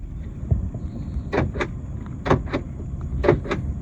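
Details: 2014–2019 GM Silverado/Sierra power door locks tested with a newly programmed replacement key fob; three pairs of crisp clunks about a second apart as locks cycle, actuators working cleanly and evenly.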